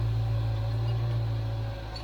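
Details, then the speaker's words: 1995 Range Rover Vogue SE, Rover 3.9 serpentine V8 after a top-end overhaul, idling during ignition timing after first start: a steady, low, even burble with no ticking or misfire. Runs sweet, though a belt was seen hanging off a pulley edge. "It's running sweet enough."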